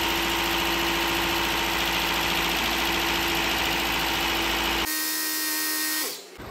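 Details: Toyota Corolla 2ZR-FE 1.8L engine, first start after rebuild and installation: even, fast-pulsing idle with a light steady whine and no knocking or ticking before it cuts off. Normal healthy idle.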